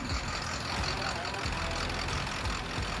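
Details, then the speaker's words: Ford 7.3 Powerstroke diesel just reassembled after a blown head gasket rebuild, first start, idling on its own with an exhaust leak; steady low rumble with even pulses, no knocks or misses; normal idle. "She is idling now all on her own. It's 4 in the morning, but we finally got it going. [Applause] Boy, doesn't that sound good."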